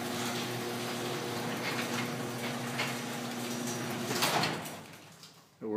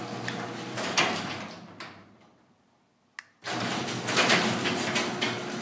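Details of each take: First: Garage door that had a sagging section causing popping, after fix by screwing a 2x4 across the sections: steady, even rumble of the door travelling, no pops or bangs, then it settles and stops; running smoothly. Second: Garage door with a weak, shredding, sagging section, after a metal bar and screws were added as a DIY fix: sharp metallic bangs and rattles as the section still drops; the fix failed, so a wood shim was tried next.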